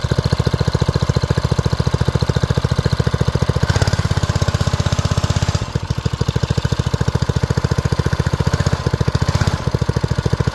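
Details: Old BRS F1 265E go-kart single-cylinder engine, run with no air filter after priming, fires right off: steady, even putt with one brief sag in speed, pulling cleanly; normal running shortly before it later went "chunk" and shut down.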